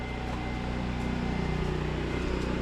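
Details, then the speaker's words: Kenworth W900A diesel during restoration, briefly started with no coolant: deep even idle with steady low throb and no knocks or misses; runs again, though a fuel crossover tube has a pinhole leak. "Let's try that again. Heat. Heat. Yes. Well, it runs again."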